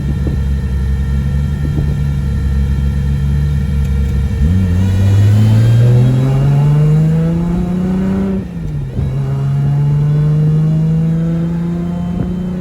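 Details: Big-turbo RB25NEO, freshly reinstalled engine on its first drive, pull at about 18-19 psi boost with tune still being adjusted: note climbs cleanly, drops at the shift and pulls again, no knocks; motor healthy with good oil pressure, though transmission is bad.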